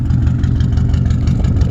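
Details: Subaru WRX flat-four idling with a deep rumble and a faint rapid knock underneath: rod knock, with an STI engine swap planned.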